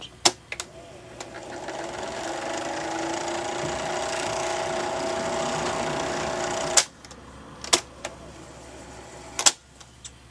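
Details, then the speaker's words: 1962 Loewe Opta Optacord 412 portable 4-inch reel-to-reel recorder demonstrating rewind and fast forward: smooth whirring rises and holds steady about five seconds, then stops with control clicks; reels spool normally. "before I show it playing music that I recorded onto this recorder from YouTube I will um show you how fast it rewinds and fast"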